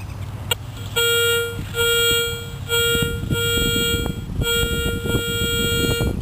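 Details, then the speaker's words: Garrett Ace 250 metal detector at a clad-only soccer-field park, about 60°F: repeated clear high beeps, each about half a second, over ground scuffing; steady solid dime signal on a target the pinpointer shows very close to the surface, turning out to be a shallow penny. "So alright, a little bit left of my other target and showing up as a dime."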